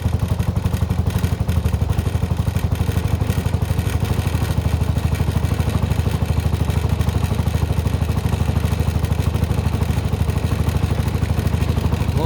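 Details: Suzuki Burgman 125 scooter, first start after fitting the belt pulley and clutch bell: starts at once into an even idle putt of about two and a half beats a second, no knocks or rattles; rear wheel turns, belt seated; carb still to adjust.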